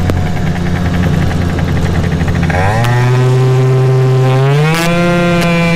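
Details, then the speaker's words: Yamaha Aerox two-stroke scooter, tuned setup with old variator face, under throttle: drone climbs in steps, hanging at one pitch then jumping up twice; CVT shifts unevenly, more variator tweaks planned. "going to do a couple more variator tweaks to it you can hear the the shifting is a little off this is an old variator uh face that I had"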